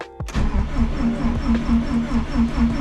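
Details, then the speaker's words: Subaru WRX STI cranking after fuel pump priming: starter spins with steady, even compression pulses but never fires; no fuel pressure, caused by a clogged fuel filter inside the tank. "okay so figured out why there is no fuel pressure this is our cause right here so these wxs and STI have a fuel filter that is inside"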